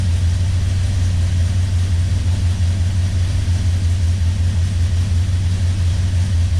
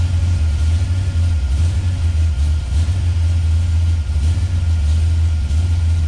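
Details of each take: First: 1971 Plymouth Road Runner 440 big-block V8, stone cold and not started in months, being sorted for ignition timing problems: a steady low rumble at a fast cold idle of about 1000 rpm, good oil pressure, no knocks or misses. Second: 1971 Plymouth Road Runner 440 big-block V8 with a FireCore distributor, initial ignition timing dropped toward 20°: a heavy, lumpy, wavering idle.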